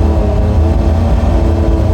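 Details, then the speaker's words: Autozam AZ-1 Suzuki Cara, cold, just started, new fuel rail and pressure regulator fitted, fuel added: flat steady drone at full throttle, won't rev past 4000 rpm, worse when cold; cause unknown. "Alright, I got some gas in it. Someone pointed out I had no gas, but let's see. Same thing. I'm holding at 4,000, the pedal down."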